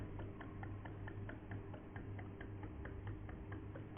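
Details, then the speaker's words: Epson L6170 printer ink tank being refilled from a bottle: soft regular ticks about twice a second over a low hum, stopping when full; ink flowing in normally. "Okay, because the ink is getting filled, so sound is coming."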